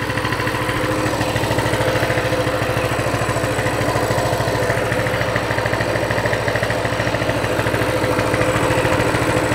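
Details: Coleman CT200 mini bike, non-adjustable carb, throttle return spring off the throttle: the small single holds a low, settled idle of about 1600 rpm against a 1700 target, with a fluctuating reading. The clutch isn't moving: a normal idle.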